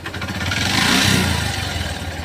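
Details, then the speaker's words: Hero Passion XPro single-cylinder bike, which also emits white smoke, revved in neutral: metallic clatter from piston noise and timing chain noise. "तो यहां पर दोस्तों piston की आवाज़ timing change की आवाज़ भी है इसके अंदर"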